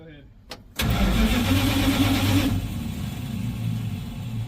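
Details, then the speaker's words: 1970 Dodge D100, after rewiring one leg of a dual ballast resistor: even cranking for a couple of seconds, never catches, with no spark at the coil; owner suspects the coil and will swap it. "anything anything nothing coming that way okay well I'm not sure exactly what the problem is but um it could be the coil"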